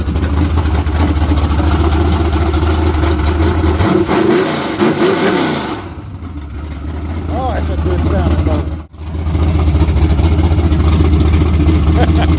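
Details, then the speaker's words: Chevrolet Camaro with naturally aspirated LS V8 on a modified HP-series carburetor with a large plenum and a cam under 240 duration: deep, lumpy idle with crisp, snappy throttle blips settling back; rowdy, healthy engine with good ring seal. "I just can't believe how snappy that thing is with that much intake. But yeah, I've heard a lot of LSs. I've never heard one that sounded that rowdy, naturally aspirated like that."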